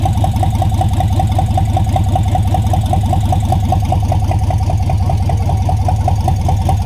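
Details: V8 swapped into a Datsun 720 on first startup, after an oil-priming crank with the ignition and fuel pump reconnected: steady even idle with a regular low pulse, no knocks or misses. Freshly fired engine running cleanly.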